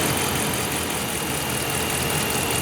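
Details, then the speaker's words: 2010-19 Dodge Ram 5.7L Hemi V8 after thermostat replacement and coolant refill, cold start with radiator at 114 degrees and system not fully bled: even idle, steady rumble, no knocks or ticks, idle dropping quickly; normal cold idle. "You hear it idling down pretty quick too. Radiator cap's still cold, so we expect that."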